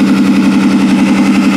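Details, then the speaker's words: 2002 Ford Taurus derby car the day after its third derby run, idling on 5 of 6 cylinders: steady idle with a faint uneven pulse in the low rumble, a miss hard to hear. "So there it is running. So that's running on 5 cylinders, and honestly, it's not that noticeable to the ear that it's on 5 cylinders."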